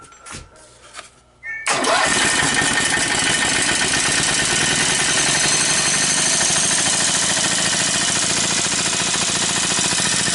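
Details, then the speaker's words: Briggs & Stratton 18hp opposed-twin with dual carburetors and dual exhaust, new in a go-cart: brief crank catches quickly, then steady even twin beat, no knocks or misses; normal running after start, starts much better than previous 10hp engine. "one thing right off the bat this engine starts a whole lot better than the 10 horsepower did"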